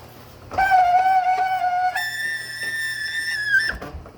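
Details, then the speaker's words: Martin garage door opener (item 79965), before silicone lubricant: loud steady shrill whistle at one pitch, then jumping higher and holding while running; squeal coming from inside the opener unit. "it is making an awful noise and it's coming up from this part of the garage door opener right there whatever is in there I'm going to try putting some silicone lubricant in and see if it helps"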